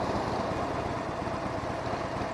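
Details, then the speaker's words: Harley Sportster 1200C Evo V-twin running 100% synthetic oil for the first time: steady rumble with a light, even mechanical rattle over the exhaust. This is the normal Evo engine rattle, which the rider says is more audible on synthetic oil. "So synthetic sounds more light, like you hear more noise coming from the engine, because Harley-Davidson Evos do make some engine rattling noise. That is natural due to their engineering."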